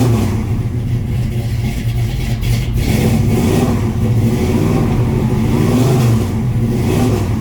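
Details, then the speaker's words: 1967 Chevrolet C10 V8 truck, cold start after sitting several days: loud, steady high revs never drop to a settled idle; the cold-natured engine will not idle on its own. "All right. That ain't gonna idle. You'll be able to hear it. Anyway, that's a cold start."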